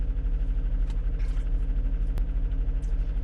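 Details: 2021 Jeep Grand Cherokee 3.6L Pentastar V6 after variable valve lift solenoid replacement for code P105c and noisy lifters, engine light off, warming up: even low rumbling idle about three pulses a second, no ticking; smooth idle.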